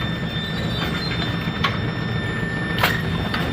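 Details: Bowling pinsetter with sporadic power dropouts from a loose wire on the motor contactor and bad rake cam follower bearing, running; steady rumble with clanks and rattles, no cut-outs or stalls. Normal pinsetter cycle.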